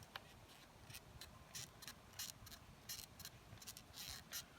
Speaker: A Bugaboo Buffalo chassis, and it has quite a squeaking sound going on from it.